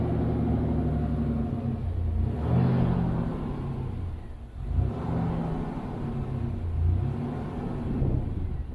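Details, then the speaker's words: Fuel-injected GMC Typhoon, first start after sitting over 10 years, restarted with only light throttle; an uneven, surging low rumble rises and sags while burning off transmission fluid put in the cylinders, rough running. "Doesn't like transmission fluid. All right, start up again."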